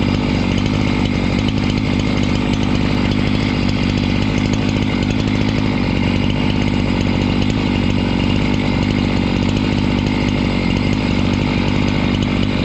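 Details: Husqvarna 268 chainsaw, after repair work for a complaint that it stalls once warm and won't restart (air intake checked, a part replaced): loud, steady two-stroke howl held at full revs through the cut without bogging or dying; runs normally under load.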